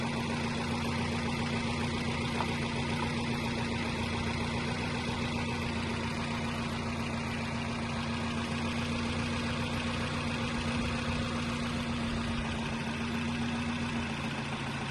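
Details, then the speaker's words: 2007–2012 Nissan Versa after cooling fan replacement for overheating, idling while bleeding air from the coolant: the new fan kicks on near 96 degrees with an even whoosh and low hum, working normally. "Okay, so you can hear it turning on now."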